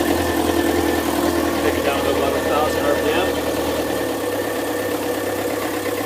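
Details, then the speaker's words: Yanmar 4JHE 44 hp marine diesel after valve seal change and injector rebuild with correct nozzles, idling at about 1,000 rpm: steady even diesel clatter, no misses or knocks; quieter than before, healthy. "There's at 1,000 right now. It's actually a lot quieter than it used to be. I guess the fuel injectors"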